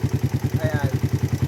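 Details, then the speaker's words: Motorcycle engine with over 66,000 on the clock, earlier suspected of a connecting rod fault: rough idle with heavy, even clatter; mechanic believes it is a top-end (head) noise, not the connecting rod, pending teardown. "Malaki dito oh. Tingin ko sa head lang talaga to."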